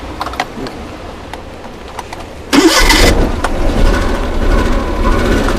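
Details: Used Suzuki Mehran 800cc petrol engine cranks, catches and settles into a lumpy, uneven idle with an engine misfire, as if one cylinder is dead.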